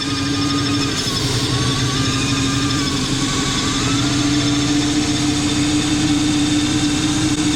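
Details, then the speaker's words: Engine after the exhaust manifold gasket job. Loud idle with a thin whistle and hiss from low on the engine, not the intake manifold or intercooler. Owner suspects the $40 gasket or the crankcase; the idle later rises to 2,000 rpm. "Oh no, it's still coming from down there. I think it was that $40 gasket, boys."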